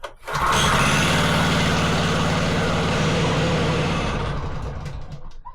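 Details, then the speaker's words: Wacker Neuson VP1030 plate compactor, bought used off Marketplace: the small engine runs roughly for about four seconds, then fades and dies. It will only keep running with the choke on; cause unknown. "oh that won't stay running strange isn't it why would it only run with choke on then"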